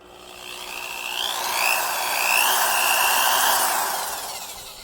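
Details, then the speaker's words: Quarter-inch drill running for reference: smooth motor whine climbs quickly to speed and holds a steady, even pitch with no grinding or knocking; healthy drill sound, unlike the worn-gearbox unit. "to give you an idea you know even though this is a quarter inch this is the way these drills should sound like when they're in good operating"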